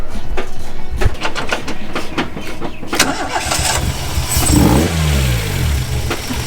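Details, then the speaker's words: Car's first start and drive since a fire, after new harness and timing adjusted: even idle, then a quick throttle blip rises and falls cleanly back to idle without stumbling; responsive, runs healthy. "it's way happier now the throttle is really responsive we can like give it a bit of a rev and it won't die it'll still idle"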